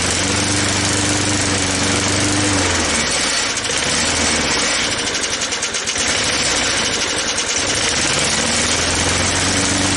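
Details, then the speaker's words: 1983 Snapper mower after tune-up and throttle linkage setup: engine runs steady, then its note sags and roughens for a few seconds before picking back up; still hangs up at that throttle setting. "looks like it still gets hung up there hmm"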